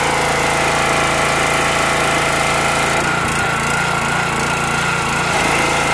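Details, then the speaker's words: Petrol pressure washer after internal repair of suspected unloader/dump valve fault (previously wouldn't release high pressure on trigger release): steady high-speed even drone with brief load change midway; normal running. "yeah it's actually working the way it's supposed to now i don't know if you could see the uh dump valve moving in and out when when i let off the trigger"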